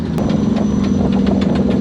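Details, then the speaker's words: Pathmaker rig driving home with broken Dana 300 transfer case (6th failure, on first rock-crawling obstacle): quick steady ticking knocks several times a second over low drivetrain hum; case not split, to be replaced with last spare. "that's sounds absolutely terrible not going to lie this is not the first time I've driven home with my Daya 300 make it sounds like that"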